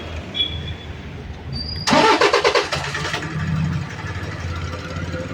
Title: INNOVA INJECTOR PROBLEM LOUD NOISE